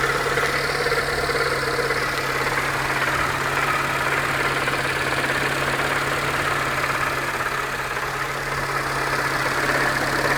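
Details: 2004 Peugeot 307 1.4L at idle: dull knock about twice a second, in time with revs; persists after full timing belt kit fitted and with crankshaft pulley removed; source not pinned down.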